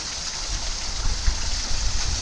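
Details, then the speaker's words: Marple Lock Flight canal lock gates: constant rushing and splashing of water like a stream pouring through; lock leaking quite badly. "Yeah, this lock as well, I don't know if you can hear it. This one is leaking quite badly as well."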